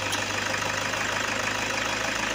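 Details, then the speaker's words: After repair, the engine idles evenly and freely with no misses or stumbles. The EGR tube's air passage had been very narrow before the fix, and the engine now breathes freely. "Patuloy yung tahimik na malubay. Nakahinga siya eh. Nakaluwag na pahinga."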